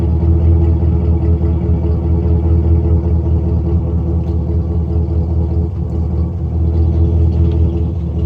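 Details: 1999 GMC Sierra 5.3 V8 with random misfire code, no leaks on smoke test, new plugs, wires, fuel filter and EGR parts: deep idle rumble with an uneven beat and occasional exhaust stumble; misfire traced to a microscopically cracked spark plug.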